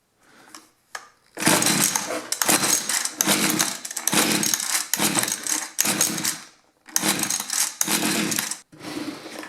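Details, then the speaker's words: Mantis mini tiller two-stroke, sat about 10 years, after freeing a gummed part: short rough bursts of firing with gaps on half choke, catching but not staying running; cause suspected, not confirmed. "It did kick over. So, I think that was our problem."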